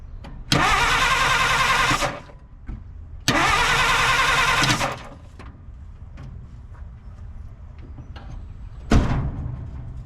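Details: 1950 Dodge Meadowbrook, sat for unknown time: starter churns steadily in two bursts of about a second and a half, then a third, engine never catches; cranks, no start.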